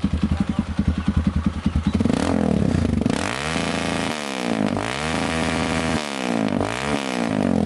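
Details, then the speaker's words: Kawasaki KLX 150 single-cylinder that would not start due to no spark, after ignition (plug, coil) check and fix: fires up, settles into even thumping idle, revs climb and fall cleanly with no misses; running normally again. "Nah kita akan coba hidupkan motornya mau ke teman-teman ini sudah hidup Ya udah normal kembali"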